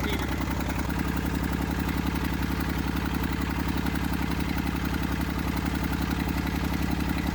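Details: Massey Ferguson 35 diesel tractor, seized after 20+ years in the woods and freed, starter failed and removed, tow-started behind a truck in third gear high with fuel tank pressurized. It fired after about 300 yards. Even, solid diesel clatter at steady idle, no misses: normal running.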